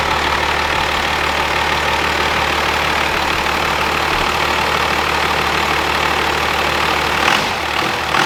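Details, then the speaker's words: Old 12-valve Cummins diesel running on the shop floor after a jumper-wire start: loud, even idle clatter with crisp regular firing, no misses or stumbles; runs strong and healthy. "it was crazy how that thing fired so good that's why they are like the small block of the diesel world I mean they're just they're bulletproof engines those 12 off Cummins"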